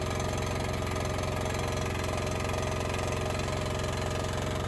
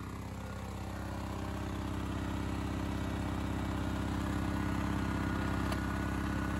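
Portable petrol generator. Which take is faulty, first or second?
first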